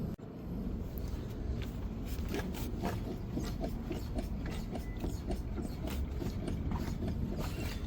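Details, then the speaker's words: 2017 Hyundai Elantra, driver-side front corner rocked by hand: repeated dull knocks and rattly clicks from a loose strut top nut. The customer hears it most over bumps; the passenger side is quiet. "Customer complaint is they are hearing a noise on the driver's side. So, we're going to check the vehicle this side and hear if we can catch that noise. So, it's more pronounced when they are passing through bumps."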